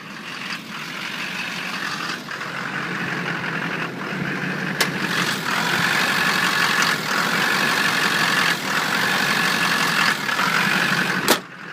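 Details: 2005 GMC Duramax diesel with aftermarket CAT two-micron fuel filter, rough uneven loping idle with RPM needle dipping, first noticed on a 14° morning start; later found to be a failing fuel pressure regulator, followed within a year by CP3 pump and injector failure.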